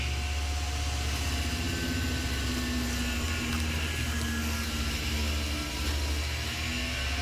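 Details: Milling a 1.5-inch pocket with a single-insert cutter, plunging, at 20 inches a minute feed with a blast for chip evacuation. A steady cutting drone with a constant tone and no chatter or squeal; the cut sounds good.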